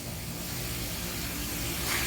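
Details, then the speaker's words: Used car with automatic transmission, cold start: idle RPM starts high and drops as the engine warms toward 80 °C, steady under loud fan and air hiss, with no knocks, ticks or roughness; normal healthy engine. "Ini kalau kita dengerin suaranya termasuk dalam kategori normal. Nggak ada suara yang aneh-aneh, kasar atau sebagainya, itu nggak ada. Ini dalam kategori yang normal."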